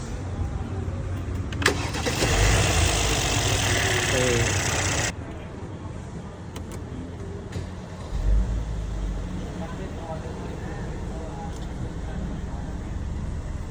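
Engine cranks and catches, revs briefly, then drops into a steady, even idle with no knocks or rattles; it is running normally.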